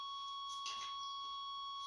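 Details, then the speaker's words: 1989 Chevrolet Suburban that sat 15 years, engine off, before the coil wire is connected: a steady high electronic tone from the dash warning buzzer. It goes away once the coil wire is hooked up; the cause is not understood. "And there's that annoying buzzer that my son just loves to hear. But he's not out here today, so you don't have to listen to it as much."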